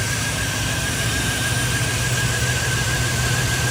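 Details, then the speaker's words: LS V8 single-cab truck, idling after a new Quantum 340LPH in-tank fuel pump fixed its dying problem. Steady, even idle with no misses and a faint constant whine: normal idle. "oh my God I know this sounds crazy but I can't believe it's idling like this it's not making a single noise"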